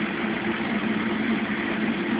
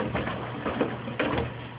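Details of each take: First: Mueller Special Brazilian washer, cold-fill-only machine that heats water itself, duvet load on 60°C wash with extra rinse, start of cycle: steady even rush of water, no knocks or squeals; normal cold fill. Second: Mueller Special washer, Quick cycle at 60°C washing a big duvet: irregular hollow thuds, about four in two seconds, over the wash churn. Loose detergent dispenser ball knocking against the door.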